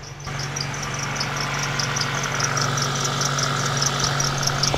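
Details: Toyota Celica (1ZZ/2ZZ engine) idling with high chirpy serpentine belt squeaks about twice a second over the steady hum; belt fairly new, bearing or tensioner suspected during checks, cause found to be a misaligned crank pulley.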